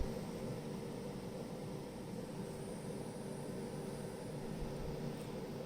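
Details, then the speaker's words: Milwaukee M12 charger after snubber circuit fix (resistor changed from 68k to 100k), transformer rework having failed; now almost silent with faint hum, still drawing 40 W: normal quiet charger operation. "Все, тишина. Споживання, як і було, 40 Вт. Звук ледч є такий. Взагалі майже не чути."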